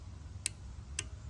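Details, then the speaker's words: Toro parking brake control module bench-tested with voltage applied; two sharp relay clicks about half a second apart over a quiet hum with no motor whir after; the relay works but the actuator motor and lever do not respond. "And you can actually hear the relays. That click is the relay that's attempting to actuate,"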